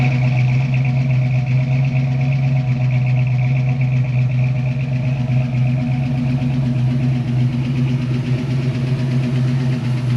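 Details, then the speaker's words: 1966 Mustang coupe, factory V8, 4-speed, newly installed Edelbrock 1406 electronic-choke carburetor, idle mixture and fast idle not yet set, cold mornings: steady low idle with slight uneven pulse and faint lope; idle still unadjusted. "um yeah so really just need to pull this car off just let it idle for a little bit and start tweaking those screws and getting that dialed in"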